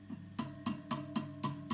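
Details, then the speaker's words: Vox AC30HW hand-wired amp, EL84 power tube tapped: light taps three or four a second each give a brief metallic ping through the amp; microphonic power tube. "this one also makes noise well if i hit it harder it does make noise but we're just gonna leave it alone let's see this one wow isn't that annoying"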